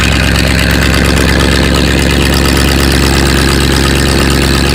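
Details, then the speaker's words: Engine first start after 7600 head work, new-old-stock exhaust pipes, gravity-fed fuel: steady even low idle, no stumbles or knocks, more responsive and sounding better; normal idle. "verbal speed things can be kind of creepy sometimes and they sound a lot better though it's a lot more responsive"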